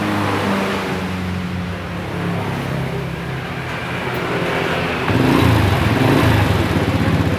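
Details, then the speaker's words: 1997 Honda Astrea Grand that won't shut off with ignition off, running on a substitute CDI: small engine runs smoothly and evenly, picking up cleanly on a light throttle blip; shuts off normally with this CDI. "Motor bisa hidup normal ya."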